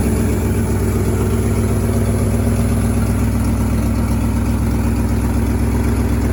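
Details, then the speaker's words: 1963 International Harvester Loadstar 1800 tandem-axle truck, carbureted, first start in 20+ years: steady, even low idle with smooth firing and no tapping or knocking; oil pressure gauge not reading, no knock heard, air pressure building; normal idle. "Oil pressure's not really doing anything, but I don't hear it knocking, so we must be good. They've added in another tack, and that one works. Man, she don't sound too bad though."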